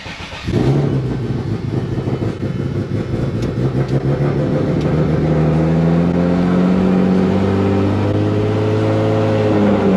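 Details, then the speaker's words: Turbo Z after replacing old fuel pumps that sat two years with E85: starts and settles to steady idle with even, slightly louder fuel pump hum underneath; sounds healthy. "Start this loud ass thing up, wake up the neighbors after sleep. My bad. Yeah, see, it's a little bit louder."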